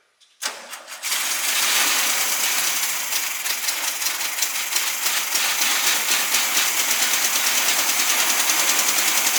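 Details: Newly acquired SpraCoupe air-cooled engine for a 1961 VW bus, running on coil from original bus engine, last of the fuel: cranks, catches within a second, settles into a quick, even patter about three beats a second; oil light goes off instantly; runs fine.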